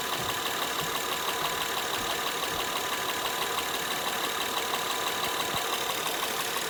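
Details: Honda Pilot engine knock, recorded both hot and cold: steady idle with a light, regular ticking knock of about three beats per second over the engine; source unclear.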